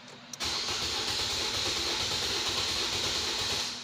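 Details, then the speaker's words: 2014 Nissan Versa, HR15 engine, cranking with an even whirr for over three seconds and not starting after an engine power-wash. The scan tool shows zero RPM, meaning no crankshaft position signal. "right so you see that I'm getting zero RPM right so that's Lead Me to either the ECU or if it's the um crank sensor or even the harness"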